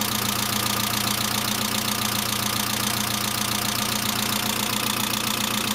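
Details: Saab C900 after engine/head rebuild, idle: light, fast, even ticking about four per second, noisy valve lifter; no oil leaks, oil pressure lamp off; owner suspects oil pressure relief valve, not thoroughly cleaned, rather than return line leakage.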